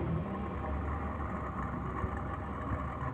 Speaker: suara kemresek ini kelihatannya eh di bagian motornya